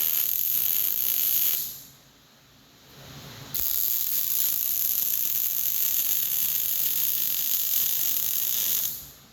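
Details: Short-arc MIG welding with .045 wire: steady sharp frying crackle with a brief break mid-bead, then the arc restarts; normal short-circuit MIG welding.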